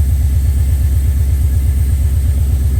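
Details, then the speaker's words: HQ Monaro V8 first start after rebuild, coolant filled, idling before warm-up: a deep, steady burble with an even beat and no misses or ticks, a smooth healthy idle. "that's uh sitting there running there idling pretty sweet I'm pretty happy with that"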